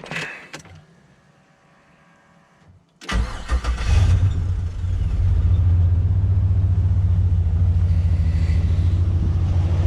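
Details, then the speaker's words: LS-swapped turbo Nissan Patrol at idle: starts after a few cranks, then a rough, loping idle like a dead cylinder; the owner suspects the melted, relocated front coil pack is causing the misfire, and there is also an exhaust leak. "I suspect it's a coil pack this one here at the front because I've already had to relocate it"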